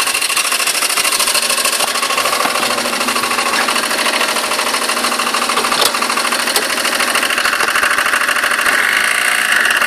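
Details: Citroën C3 engine at idle: rapid, fairly regular light ticking of about three per second over a steady idle; engine ticking noise, cause undetermined.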